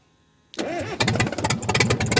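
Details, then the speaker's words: Cat 922 loader diesel after a cylinder head rebuild, on a cold 0-degree day. It catches hard, then runs with uneven, lumpy firing and ragged revs. Owner suspects a fuel-system problem, possibly sucking air from a low tank, with a suction filter element missing and makeshift hoses. "We got her fired up. It's been running, but I seem to have developed a problem in the fuel system. I could be even maybe sucking air out of the tank, maybe out of fuel."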